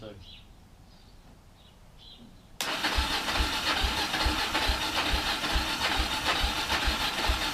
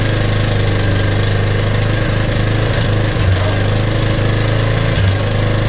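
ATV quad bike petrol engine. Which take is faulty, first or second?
first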